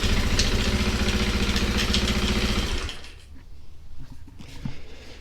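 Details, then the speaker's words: 2001 Honda XR200R: rapid metallic rattle about 220 per minute over the idle, fading as revs drop; suspected timing chain, possibly the clutch. "timing chain rattling something's rattling almost sounds like from right here the timing chain I believe is on this side"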